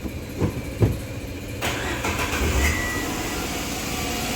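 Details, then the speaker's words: Renault Kwid with old faulty accelerator pedal fitted: after clunks engine holds steady raised hum, high idle RPM that won't drop; replacing pedal with new plug-in unit brought idle back down. "பாருங்க RPM sound வந்து எவ்வளவு sound வருது கேக்குதான்னு தெரியல வீடியோல ஆனா sound வந்து வருது [இசை] அதிகமா சவுண்ட் வருது இது வந்து பால்ட் ஆனால் இப்ப வந்து நியூ பெடல் போடுறோம்"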